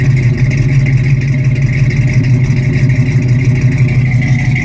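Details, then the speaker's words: 1972 Mustang Mach 1, 351 (5.8L) with solid-lifter cam, Edelbrock intake, Holley carb and headers, cold start: deep, steady lumpy idle with a choppy rumble and faint solid-lifter ticking; normal performance-cam sound. "The cam sounds pretty good in this car. It's got a very deep tone to it. With that exhaust and the cam, it's got a very deep tone to it. It's a solid lifter cam, you can hear it. That little bit of tapping noise is your solid lifter cam."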